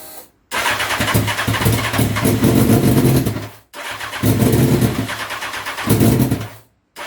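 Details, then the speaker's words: Honda CBR929RR SC44 turbo build at first start, fuel added back in steps from zero: repeated cranking bursts that catch briefly, fire unevenly and die. The engine is flooding; the owner suspects the larger injectors are too big. Flooded engine. "so I've tried a few more times starting to flood it a little bit so I think the injectors I've gotten a 600 or where we're waiting big how the suspicion that was going to be the issue"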